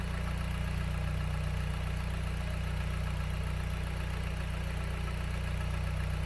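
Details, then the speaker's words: 2008 Dodge Caliber after alternator replacement, idling with battery charged, charging about 14.1–14.6 V: smooth even low idle hum, no misses or knocks, charging load not upsetting the engine; normal idle. "okay so she's charged uh coming back down after a full charge you can hear that kick"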